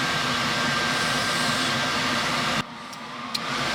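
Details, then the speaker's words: Race truck with newly wired Vintage Air A/C unit: switched on, the front condenser fan and blower give a steady, even airy whoosh with no rattle or scrape, then drop when switched; running normally. "yeah we're good so yeah you definitely hear it in the front that's coming on"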